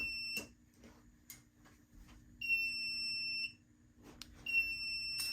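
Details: FireLite MS-2 fire alarm panel powered up after wiring a pull station: shrill piezo sounder beeps in slow one-second pulses over a faint steady transformer buzz; trouble signal, cause suspected, not confirmed.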